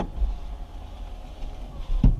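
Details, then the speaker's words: 2004 Porsche Boxster 986 2.7 L, window regulator after fixing grinding/scratching noise and retraining window: brief smooth motor hum with soft thunk at stop, no scraping; normal power window operation. "no annoying sound or anything okay now one last test i'm going to do is i'm going to pop the soft top and make sure the windows lower like they're supposed to"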